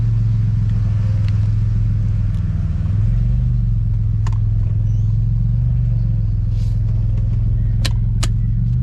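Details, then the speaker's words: BMW E46 with a budget turbo Ecotec on a test drive: a steady, low lugging drone with no shift or rev change, which sounds like it's still stuck in a really tall gear. The rear tyre also sounds very flat. "sounds like it's still stuck in a really tall gear."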